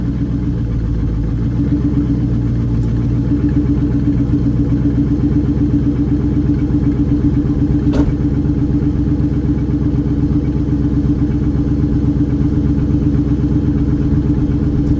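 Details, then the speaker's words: Pontiac Trans Am WS6, LS1 V8 with 6-speed manual and likely SLP catback, on cold start. Deep burble with a surge and a light, steady tapping knock; piston slap suspected, not confirmed. "Also, right off the bat, you guys who have had LS1s before might hear that like tapping or knocking."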